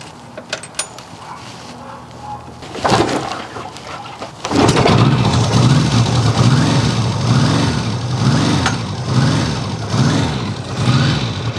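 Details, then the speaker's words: Restored 1954 Ariel Square 4 cold start: a few cranking clicks, catches around four seconds and settles into a lumpy, pulsing cold idle; engine runs fine but needs time to warm up. "I did record the cold startup, so enjoy me starting up the machine. Pops over nicely, but you really gotta spend your time with it."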